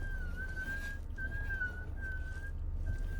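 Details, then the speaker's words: 2013 Ford Explorer, turning the steering wheel back and forth: high thin squeal in repeated stretches over low cabin hum from a dry collar at the bottom of the steering shaft; fix is lifting and lubricating the collar. "But no matter what, when you turn the wheel, you've got this little squealing, whining sound."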